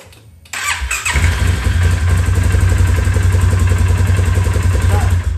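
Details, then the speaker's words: Polaris 570 ATV that had only clicked and wouldn't crank, starter motor bench-run a few times and refitted, no part replaced: brief crank, then catches cleanly and settles into an even idle; normal start, owner unsure how long it will last. "so anyway it's working don't know how long for"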